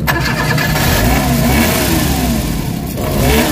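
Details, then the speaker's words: Suzuki DA64/DA63/DA17 engine, strong vibration with AC on, held on light throttle with wandering pitch, stalls unless accelerated; spark plugs found busted, replacement needed. "So ang problema nangingin lakas ng vibration. Kita niyo yun? Lakas ng vibration yan guys. Tapos mamamatay. Ayan ang problema guys. So kailangan naka-accelerate ka lang para hindi mamatay yung yan."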